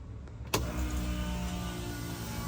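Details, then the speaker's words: 1967 Camaro SS with an LS swap, key-on after new fuel-pump wiring and an added return line to the tank: a click, then a steady low electric hum for about two to three seconds; the fuel pump is priming normally. "All right, we should hear prime for 2 to 3 seconds once the key's on."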